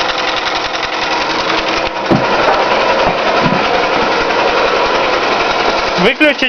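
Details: Toyota 5S-FE engine: loud, busy running with uneven knocking under the general clatter, roughly two to three a second; a knock of unknown origin, owner asking for the cause.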